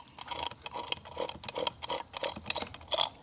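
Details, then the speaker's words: 1978 Corvette engine rebuild, new oil pump primed by hand clockwise with sump in oil, before installation: quick uneven clicking with wet slurps as gears catch the oil; pump primed. "Oh, I hear it. There it is. All right, she's primed."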